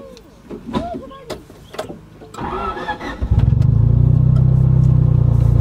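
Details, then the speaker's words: Honda del Sol D16 after a full engine rebuild with low-compression turbo pistons, on its second drive: the engine catches and settles into a steady, even hum with no knocks or stumbles; runs smoothly, slight power loss, no longer burns oil. "right so it runs really smooth now obviously it has a little bit of a power loss because of the low compression pistons"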